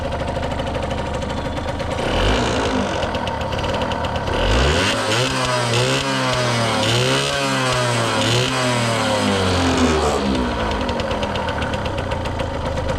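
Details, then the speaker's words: 1989 Yamaha YSR50 50cc two-stroke, 198 original miles, cosmetically restored: steady buzzy idle, a few clean blips rising and falling smoothly, back to even idle; motor sounds like brand new, healthy. "The motor sounds like brand new."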